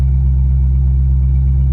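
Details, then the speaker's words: 2001 Chevrolet Corvette Z06, 146K miles, V8 cold start: deep, even rumble with a steady beat and no ticks or knocks; smooth healthy cold idle, oil pressure reading about 46 psi. "So I'm going to go ahead and do that now and fire it up. So everything cleared okay. All right, car fires up okay."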